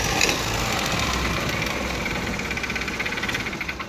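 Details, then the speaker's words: TVS Scooty Pep engine run after oil ran completely out: harsh, fast, clattery tractor-like knock over rough running; piston seizure with scored piston and bore, engine to be opened and piston and valve guides replaced. "इस तरीके से sound आ रहा है अगर बोले तो इस तरीके से इंजन ओपन कर लें, क्योंकि पिस्टन आके सीज हो जाने से ट्रैक्टर वाला साउंड आता बाइक का।"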